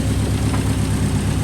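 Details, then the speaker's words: Subaru Impreza WRX STI running after turbo and Grimmspeed up-pipe replacement and oil priming: smooth, even low idle burble with steady pulses, no puffing or ticking, former exhaust leak gone; normal idle. "Well, there she is running again. It sounds great actually."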